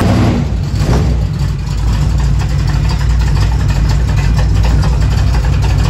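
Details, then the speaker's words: Chevy square body truck with budget small-block 350 swap, never running as well as it should, before tuning: loud, deep V8 burble at idle with throttle blips, lumpy and lazy; poor running from incorrect ignition timing. "we got it into the truck and this truck just never ran quite as good as we knew it could."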